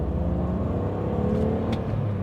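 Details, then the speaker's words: BMW E46 330ci after new driveshaft guibo and diff swap from 3.38 to 2.93, flooring it in third gear near 3,000 rpm; smooth rising engine note, previous driveshaft vibration sound gone. "in third gear at almost 3 000 RPM let's try and floor and see if it still has that sound nope gone"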